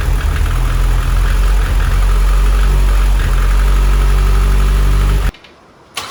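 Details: 600 bhp Mitsubishi Evo X turbo build, first start after fitting timing chain, fuel pump hardwired to 12 V: heavy lumpy idle about four uneven pulses a second, then cuts out; rough running, likely rich.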